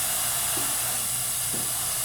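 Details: Air Star 30 dual-head oilless compressor after maintenance: gate valve slowly opened to repressurize the operatory air lines; steady hiss of air flowing, even and without sputter; normal repressurization.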